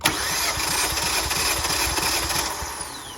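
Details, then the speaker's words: 2018 Kia Forte compression test, fourth cylinder, coil packs disconnected: even cranking about three beats a second, equal strokes; reads 180 and holds, good compression; burnt original spark plugs being replaced. "All right, we're at 180. Let's stop there and hold it."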